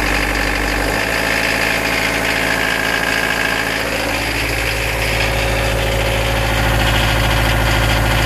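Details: Nanni marine diesel with a rapid, steady knock under throttle, about three a second; oil change and obvious checks found nothing. Cured by refurbishing all injectors and adjusting valve clearances that were slightly out.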